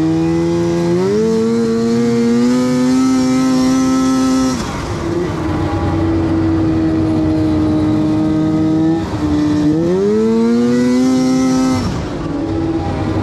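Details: 2006 Arctic Cat M7 two-stroke snowmobile running well before its breakdown: clean pulls rising and falling smoothly with throttle, crisp with no stumble under load.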